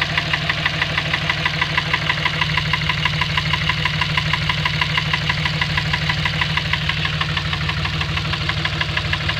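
A loud, very even knock of about three beats a second rides over a steady idle. It's an engine knock, cause not yet pinned down.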